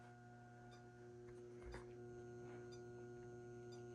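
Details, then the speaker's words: Magnetic ballast powering a 175W metal halide lamp alone during warm-up: steady low mains hum with buzzy overtones held constant, ballast quite noisy; normal magnetic ballast hum. "The ballast itself is pretty noisy just with this one on"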